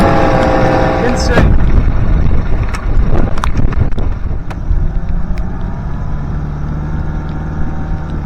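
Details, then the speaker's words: Honda BF25A 25 hp three-cylinder 4-stroke outboard, during idle mixture and three-carb synchronization after fuel system overhaul: handling clatter, then steady even idle with level tone and no misses; idle perhaps set slightly too high. "Sounds pretty good. Put it in for 4 for a second."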